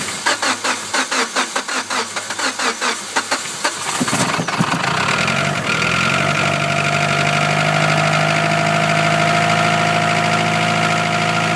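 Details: Mitsubishi Evo 9 on start-up: long cranking with a slow, even churn before it catches, then a fast idle with a faint light tick. Hard starting and ticking at idle, cause unknown.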